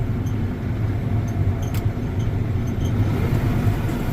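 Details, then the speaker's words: Combine being recommissioned with the corn head engaged, back at idle: a deep, steady drone with an even, unbroken rumble and no knocks or grinding; the chains look good, normal running. "oh yeah everything works the chains look good excellent yep we're in good shape"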